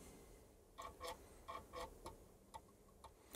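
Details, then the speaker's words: Original Epson floppy drive from an Atari STE, fitted in an external enclosure, reading a known-working old cover disc, ticking and clicking unevenly about twice a second; disc doesn't sound healthy but works. "doesn't sound very healthy this disc to be honest but i do know it works"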